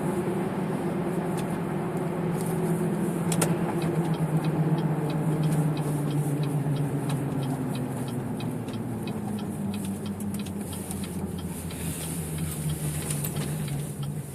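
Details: 2009 Chevy Impala LTZ while driving: a low droning howl/hum with a wobbly quality from the front end, sinking in pitch as the car slows and louder inside the cabin. Tires are suspected but the source is unconfirmed.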